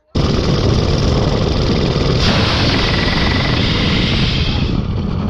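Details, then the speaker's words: Small mini bike engine on nitrous fed into the carburetor, run flat out: sharp backfire crack, then harsh, ragged running; a rod knock is suspected afterward, unconfirmed. "Oh no! You just blew it up? Nitrous backfired."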